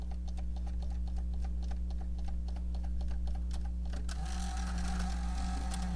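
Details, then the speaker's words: Panasonic AG-DV2500 MiniDV/DVCAM pro VCR, bought used, with a badly damaged tape loading mechanism that won't take an inserted tape: quick even light ticks turn into a rough, rattling clatter as the tape goes in. "Okay, so this is how your VCR operates when its loading mechanism is jacked up. So I'm going to turn it on up here, and then attempt to insert the tape, and you can see it just like doesn't take it."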